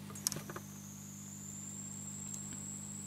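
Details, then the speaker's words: WD My Passport 4TB hard drive, unrecognized after connection to an over-powered USB hub, miked at power-on: plug-in clicks, then flat low buzz and thin whine with no spin-up; platters suspected not spinning, USB connector discolored. "sente questa specie di ronzio che però non è nominale cioè quando un disco parte si dovrebbe sentire un'accelerazione dei dischi e un rumore continuo senza ronzi quindi questo mi può far pensare che i dischi non partano proprio"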